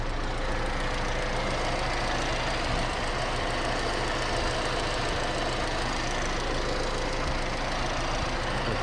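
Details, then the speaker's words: Engine idling with a steady low hum and no belt squeal after the alternator, two bearings and the tensioner pulley were replaced; the power steering pump pulley is still original. Quiet belt drive. "все вот тихо работает никакого шума"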